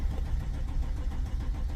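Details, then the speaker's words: 2007–2008 Chrysler 300C hire car after a break-in: cranks in neutral but not park, starter turning about four even pulses a second without firing; crank-no-start, start circuit fine. "we got it cranking so we know start circuit everything it's okay why is it not firing"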